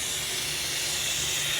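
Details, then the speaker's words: Self-serve car wash compressed air system at 60 PSI with the pumps off: a steady, loud high-pitched hiss of escaping air, traced to a leaking flow jet fitting. "you can hear a hissing sound since the hissing sound is at 60 PSI you know a soap spray won't find the the bubbles coming up"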